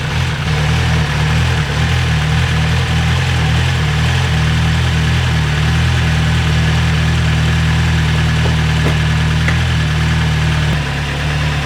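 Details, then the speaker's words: MV Agusta 1090R that previously bogged and died randomly (suspected fuel delivery). Steady, even idle with a deep, smooth exhaust note, no stumbling or dying, holds revs cleanly. Feels better than before; normal idle. "As long as the bike doesn't die, I think we're good."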